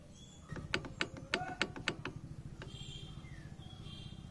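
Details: Hero Splendor motorcycle idling while a quick burst of sharp metallic knocks rings out from the clutch housing: clutch knocking.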